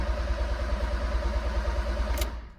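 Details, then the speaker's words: Fiat Punto GT Turbo that cranks with spark but no injection and no fuel pump running at ignition, ECU suspected and its connections cleaned, code light on; steady rhythmic starter churning for two seconds with no firing. "Nothing at all. When you turn the ignition on, no fuel pump running."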